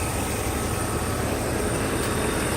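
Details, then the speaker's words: Mercedes S500 (wrong E420 EZL module found installed), warm day, coolant temperature on point, low speed fan activated; with AC on it cycles on and off; old-style resistors given new soldered terminals and wires. Constant even whoosh, no rattle. Normal cooling fan. "Now we'll do the low speed fan activation. When AC is on, it's going to cycle on and off."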